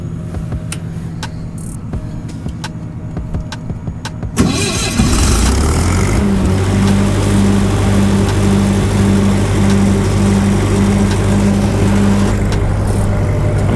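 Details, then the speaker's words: Older SA200 welder at about 5–10°F after about three hours of oil pan and engine heaters: quiet ticking, then it fires on the first crank into a smooth steady idle; normal cold start. "they did good at crank at the first time so it might be a good investment guys"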